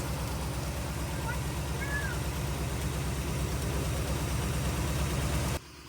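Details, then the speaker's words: 1948 Cadillac first start in 21 years, after starter back from the shop and oiled cylinders: low steady idle, even rumble, no knocking or misses before shutoff; normal idle. "Wow, it runs good. No knocking, no engine noise, no nothing."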